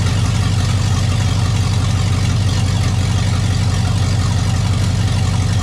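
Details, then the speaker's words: Chevrolet 5.3 V8 hot rod at idle, not revved: heavy, booming idle with deep steady rumble and no quiet gaps; exhaust far too loud, neighbor hears it indoors, needs serious exhaust work. "When I idle like this, my neighbor across the street says he can hear it in his living room at an idle, not being revved up. So I got some serious exhaust work to do to quiet this baby down."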